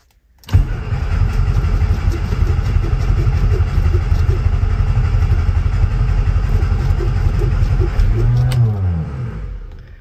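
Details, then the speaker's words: 1967 Austin Cooper S not started for about 8 years; ignition, fuel and spark confirmed, choke pulled; steady starter cranking about three beats a second for eight seconds, barely firing near the end: long crank, hard starting. "fired just slightly there at the end wants to"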